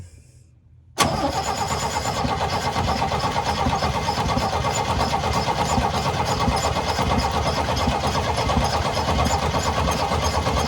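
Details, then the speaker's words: 1972 Chevy C10 six-cylinder, after vacuum was used to pull fuel to the line: cranking to fill the carburetor bowl, the starter spins at a steady rhythm but it never fires. Fuel isn't getting through, and the owner suspects a plugged carburetor. "Doesn't seem to want to run on fuel, does it? Let's see. I can't tell if it's squirting. It's probably not. Try that. Try again. It's not getting through. Maybe, possibly, could blow into the carburetor. If it's plugged, it may come loose."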